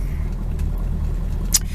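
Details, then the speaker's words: Rover P6 at idle with worn exhaust system awaiting replacement: deep uneven rumble with chuffing roughness underneath; exhaust blowing, carburetor can't be tuned properly until exhaust replaced. "so she's running but you can your legs off rumbling and blowing like a good one"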